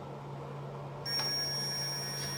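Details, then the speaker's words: 1968 BSA Bantam ignition timing setup, multimeter continuity tester across the points with engine at top dead centre: silent with points open, steady high-pitched buzz when the points close; good continuity across closed points. "points are now closed and it's making that buzzing noise now the points are open again"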